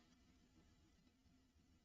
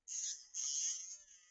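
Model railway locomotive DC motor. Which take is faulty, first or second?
second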